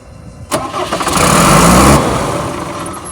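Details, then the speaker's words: 1994 Ford F-700 flatbed truck, straight-six (believed 5.9), automatic; fires with a bang, runs roughly about a second and a half then dies and won't stay running; seller says a fuel issue, not confirmed. "it does sound good when it starts but it turns off it has a fuel issue you see how it turns on and it cuts off does not stay running"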